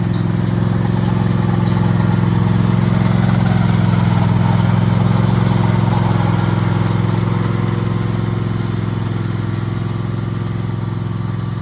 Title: Toro Timecutter Max making noise when right arm engaged